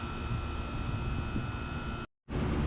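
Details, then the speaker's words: HVAC condenser units running outdoors: even, steady compressor hum with constant pitch, no knocks or rattles; normal running. "Now, it sounds a lot like our grandparents train. And these two, these two here have swirls in them. I love that sound. Sounds amazing."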